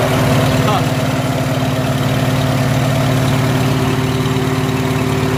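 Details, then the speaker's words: Farmall H tractor after pulling out and straightening a side wall part: smooth, even, low thrum with steady beat, no misses or knocks; idling cleanly, problem solved. "as soon as I pulled that side wall out and straightened right out running beautifully"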